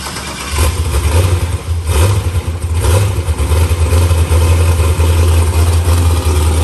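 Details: New LS-swapped forced-induction Mustang (TKM V8, Holley intake), tune still in progress: deep, heavy V8 rumble with several throttle blips that rise and settle back cleanly; running strong.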